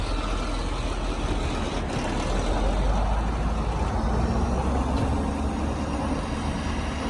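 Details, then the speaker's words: 2012 Ford F550 bucket truck, 6.7-liter diesel, PTO engaged running ETI telescopic articulated boom: steady diesel rumble with even hydraulic hum, no knocks or squeals; normal hydraulic boom operation. "So now I'm going to have him engage the PTO, and we're going to operate the boom."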